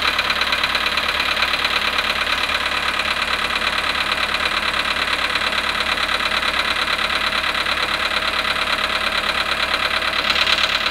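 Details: VW Polo sedan, 18,618 km, cold start at -5.5°C after standing 18 hours: cold idle with a sharp, even metallic tapping a little over twice a second; cold-start engine knock, cause unclear.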